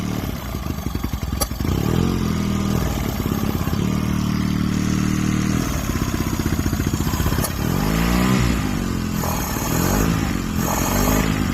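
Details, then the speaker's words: 2002 Mercury 9.9 hp four-stroke Sailpower outboard, carburetor repeatedly fouled by sediment; after cleaning and adjusting idle and mixture screws, idle surges and sags unevenly, pitch wandering every second or two; owner still adjusting mixture. "that's kind of annoying but I'm going to keep playing with the mix see if I can get it to I don't know I guess briig up right there"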